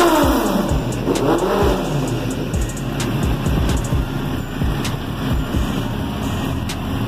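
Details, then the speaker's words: Suzuki GSX-R 750 SRAD ready for delivery, fuel very low (warning light blinking): crisp revs climbing and falling cleanly, then steady even running, no knocks or rattles; healthy engine. "Tá muito pouco já, eu já testei muito essa moto, mas vamos ouvir o ronco dela pela última vez, né?"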